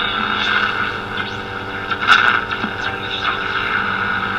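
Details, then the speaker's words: Zenith 4-B-231 vintage radio with rebuilt synchronous vibrator, during RF alignment: steady droning hum with a buzzy edge that stays constant as volume is raised; hash noise from the vibrator due to lacking a good earth ground. "so that just shows how important the ground is a good earth ground to use this old farm ready and effectively with the least amount of interference here from the from the hash noise coming from the synchronous vibrator"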